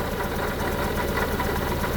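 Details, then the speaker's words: 1974 Honda Civic Series 1 (Mk1) with a misfire: a rough, lumpy idle with a puffing chuff riding each firing pulse. This is an exhaust leak toward the rear. "I've got an exhaust leak at the back as well. I can hear exhaust leak, it's chuffing away."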